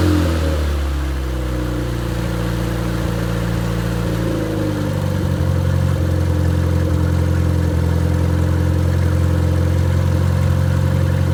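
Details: Completely rebuilt MG Midget 1500 engine (~1978-79), bored 0.020 over, flat-top pistons, 270 cam, 9.5:1 compression, unmuffled run-test: loud four-cylinder settles from fast warm-up to steady even idle, no knocks or misses.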